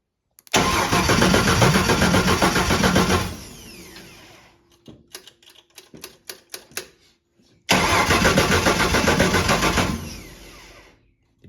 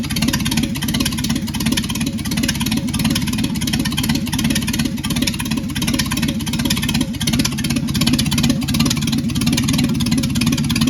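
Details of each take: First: Ford 300 inline-six with junkyard intake and new aftermarket carburetor, first start; needle and seat suspected to have failed, flooding it heavily; long cranking at three to four turns a second with few weak pops, no catch; flooded engine. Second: Secondhand Ford 300 inline six, first test run with junkyard intake, Amazon carburetor, choke held open and no fan. After the fuel line was moved off the return barb that caused flooding, it holds a steady idle with an even low thrum, no stumbling or dying.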